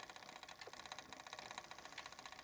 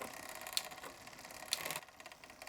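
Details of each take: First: Bicycle rear derailleur tuning, barrel adjuster turned counterclockwise to tighten cable: quick even light ticking while pedalling as chain pushes against and starts jumping to next larger cog; chain rubbing adjacent cog. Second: Bicycle rear derailleur after tuning (cable barrel adjuster set 1.5 turns past first shift): fast freewheel ticking, two crisp shifter clicks about a second apart, each with a quick clean chain change to the next cog, no grinding; clean gear shift.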